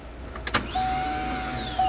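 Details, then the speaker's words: 1996 Corvette C4 Grand Sport, gauge fitted, key on: short pump hum rising in pitch then cutting out; pressure builds but drops to zero almost immediately; fuel pump suspected failed. "We build our pressure that we need to start the engine, and immediately it goes back to zero. Almost immediately anyway. That's not good."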